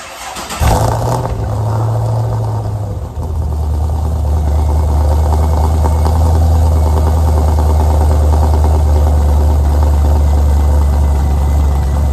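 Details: Pontiac G8 V8 is started before engine removal to replace a destroyed Circle D torque converter with worn lockup clutches. The starter whirs briefly, then the engine catches with a flare and settles into a smooth, even, deep idle with no knocks.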